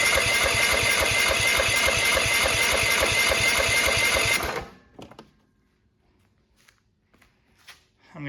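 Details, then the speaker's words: Cub Cadet LTX1045 with Kohler SV600 single-cylinder engine, just fitted with new Hipa carburetor (old one leaked at bowl gasket), choke on: starter churns evenly about 3.5 beats a second for four seconds, never fires; starting fluid next. "to get some starting fluid. Take the choke off so that it opens up the butterfly. Spray a bunch in there."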